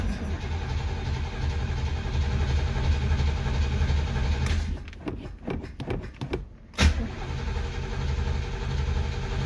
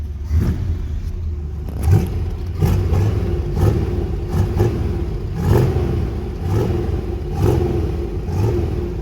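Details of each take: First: 1964 Chevy Corvette 327 with Edelbrock carburetor, sat a couple weeks, cold start: steady low burble, then uneven cranking pulses, catches cleanly and settles to smooth idle; normal cold start. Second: 1968 Pontiac GTO 6.5, sat about a month, cold: engine blipped in uneven bursts about once a second with lumpy rough low rumble; owner says it sounds terrible, rough running, cause unknown.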